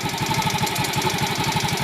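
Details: Yamaha X-Ride 125 with a Diasil bore, complaint of engine noise that is quiet when cold and appears once warm: fast, even top-end tapping at about ten a second over the idle. It was first suspected as the cam chain (tensioner replaced with a bolt); the sound points to a worn cam lobe.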